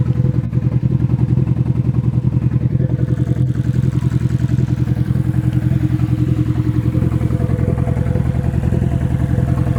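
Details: Nissan SR20 in a 240 on first start after engine install, open downpipe: loud uncorked exhaust at idle with uneven, lumpy pulses and occasional stumbles; possible engine misfire, cause unconfirmed.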